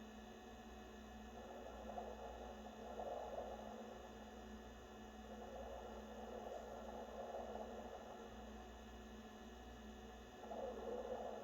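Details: NewAir 6" 7-bottle compressor wine fridge, new, running: steady low hum with loud irregular underwater-like bubbling and watery gurgles swelling in and out, refrigerant gurgling noise.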